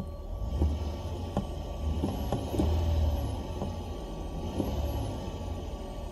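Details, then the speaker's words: Car stereo after adding a 4-channel amp to aftermarket speakers. A thin, very high whine and hiss from the speaker climbs and falls with engine revs. Alternator noise from a poor ground or ground loop. "you can hear that sound and when I step on the gas it becomes more of a high-pitched sound"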